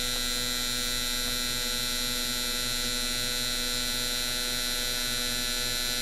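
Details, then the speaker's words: Mr Cartool injector tester running four gasoline fuel injectors at half pulse width: quick even clicking about two to three a second under steady electrical hum; injectors cycling normally. "And then we'll fire it up again on half the pulse width. And you can hear the thing cycling the injectors."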